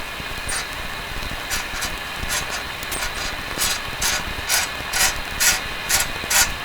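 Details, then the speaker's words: 70-year-old all-original RCA A-32 Globetrotter radio on the 19-meter shortwave band (15 MHz) with an antenna: steady hiss with crackling bursts about twice a second and no station; suggests it is not working, to be checked with a known signal. "separate off the antenna receiving something okay well that's sort of suggest it's not it's not working that's what it suggests"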